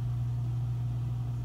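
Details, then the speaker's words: Old Kenmore Elite Ultra Wash dishwasher, weak wash motor: drain pump gives a steady even low hum without rattle, grind or surging; drain pump works fine. "The drain pump works perfectly fine."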